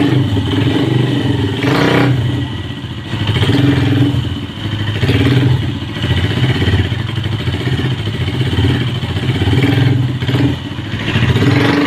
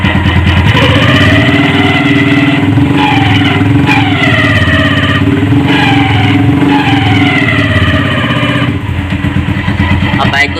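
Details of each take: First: Hi Speed Infinity 150cc motorcycle after repairing play in the clutch box: clean idle with a few throttle blips rising and falling smoothly; the earlier strange clutch noise and any rattle or clatter are gone, engine and clutch normal. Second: Hi Speed Infinity 150cc single-cylinder motorcycle running and revving with a loose rattle under the engine note, traced on opening to excessive play in the clutch basket causing wear and the noise.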